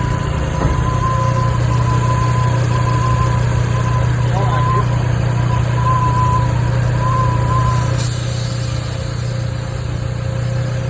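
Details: PCV valve whine at idle: a thin, wavering whistle-like whine rides over a steady idle, coming from the PCV valve.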